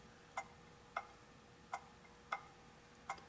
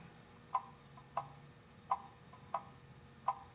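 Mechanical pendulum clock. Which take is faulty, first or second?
first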